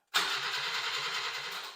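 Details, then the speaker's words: Subaru Sambar starter after rebuild with armature and brushes from another starter and field housing reoriented: quick, even whirring crank, much faster than before; normal starter cranking. "oh man that turns over way faster than it did with the other starter or with the start of the way it was"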